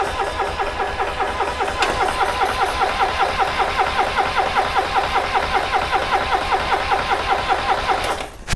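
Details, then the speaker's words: Subaru Sambar kei van engine, sat in a field 25+ years, brake cleaner in cylinder: starter cranks about 2.5 turns per second for eight seconds, never catches; no spark, later traced to a broken plug wire. "Nope. No spark. Okay."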